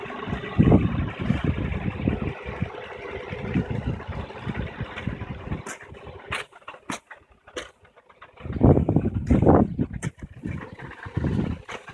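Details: 2008 G35x at idle with an uneven rattly buzz in bursts from underneath the car that goes away once the car starts moving; the sound is exaggerated in the recording, and the cause is not confirmed.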